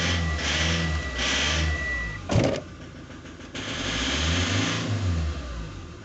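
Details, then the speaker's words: Ford Transit 2.0 engine: revs rise and fall with one sharp metallic knock partway through; metallic knock inside the engine, cause not yet identified. "У меня вот такой вот стул, блин. Он такой металлический, блядь. Хуй знает, что это такое."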